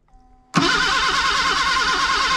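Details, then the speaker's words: 1979 Datsun sitting about 30 years, gas sprayed in to prime; starter cranks it over in even steady pulses but it never catches; points not yet cleaned, cause unknown. "we're gonna go ahead and clean the points i was hoping she'd run without doing that so i don't know what's going on"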